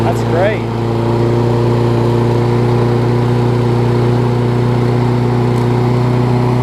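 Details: Toro self-propelled mower with Kohler engine, after cleaning fouled spark plug with carb cleaner restored spark: single-cylinder runs smooth and even at steady speed, no stumble or surging; running properly.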